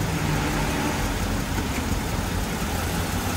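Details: Mercedes-Benz W203 C240 with M112 engine, about 70,000 km, after a half engine overhaul, cover removed: steady even idle, no stumbles or skipped beats, almost no vibration felt by hand; normal idle.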